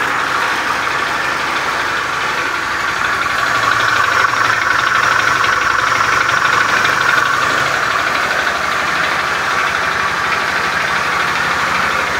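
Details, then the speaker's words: Beat FI scooter with a rough starter, idling in the workshop: a rough, uneven, loose klotok-klotok clatter over the engine note. Internal knock is likely; cause unconfirmed. "kali-kali motor teman-teman dan motor konsumen lain mengalami keluhan yang sama motor teman-teman Beat FI starter kasar suara pada mesinnya kasar klotok-klotok"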